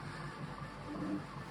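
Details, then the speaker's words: EIBOS Dyas filament dryer, freshly unboxed, running during a multicolour ASA print: quiet even hum with soft stepper-motor tones from the printer drifting in pitch, no clicks or grinding; dryer fans barely audible, operating normally. "And the fan noise isn't that bad at all. In fact, the printer is significantly louder. I almost can't even hear the fans running on this."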